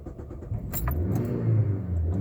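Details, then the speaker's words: 2000 Mazda Protege LX 5-speed manual, 250,000 km: a few clicks and a short crank, it catches then dies right away; it starts every time at half throttle but idles roughly. Hard start, cause unknown. "let's see if it'll do it and then it does that dies out right away wants to start but yeah you can see what it's good just won't stay running"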